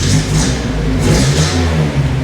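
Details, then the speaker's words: 1978 Datsun 620 truck after engine repair, timing gear pinned with a cut drill bit and timing slightly advanced: revs up and settles cleanly, no misfire, popping or rattle; charging light drops out above low rpm; runs well, staying cool. "Running great, staying cool, sounds good. I think we got it."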